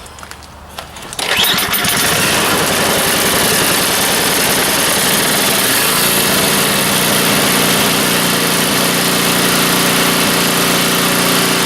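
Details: Neglected snow blower left outside since last winter, fuel with stabilizer: quiet, then the small engine catches and settles into a steady, even run with no misses; normal running after start.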